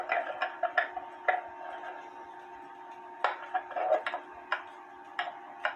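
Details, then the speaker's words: H.Th. Mylius German regulator wall clock, circa 1920s/30s, movement out of its case after a fall and beat adjustment: soft tick-tock with the gaps still slightly uneven. Much better but not perfect; the movement is close to in beat. "way better it's not perfect and I'm not going to sit here and and make it perfect"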